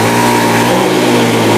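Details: Honda Scoopy that stuttered on snap throttle, now fixed: brief, steady engine note with no stutter or misfire, a normal throttle response. The fault was traced to the spark plug cap.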